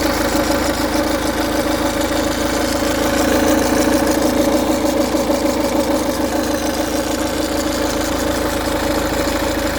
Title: Ford dw10c timing chain rattle